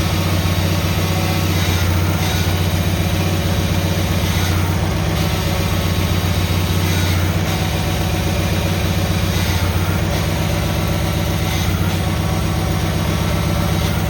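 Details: Cub Cadet tractor started after repair: steady, even low thump at constant speed, no misses or knocks; running clean and healthy.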